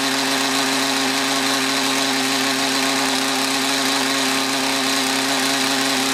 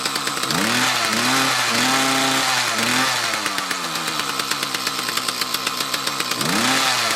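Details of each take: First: Mantis tiller with Kioritz Echo two-stroke engine after cleaning around carburetor and fuel lines: high, even buzz with no sag when accelerating, load bogging fixed, though idle still not quite right. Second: Mantis tiller with two-stroke Kioritz Echo engine revs up, then sags and stumbles under load, recovering off the gas and after idling; fuel starvation suspected from a restriction, possibly a clogged fuel filter.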